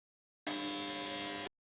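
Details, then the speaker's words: Sewing machine left unused for weeks: pressing the pedal (rheostat) gives only a steady electric motor hum with no needle movement; internal components suspected seized, to be freed and lubricated. "Premi il pedale, cioè il reostato, ma la macchina non si muove e si sente solo un ronzio proveniente dal motore."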